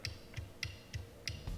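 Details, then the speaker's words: Aquatec DDP 5800 water-methanol injection pump off a Hellcat, 12 volts applied directly with a power probe on the bench: sharp clicks about three a second, each with a low thump and no spinning whir. The motor is seized, not a wiring fault. "i can hear it trying to move but by pushing that little switch i can actually apply 12 volts straight to this pump we know it's locked up and not working"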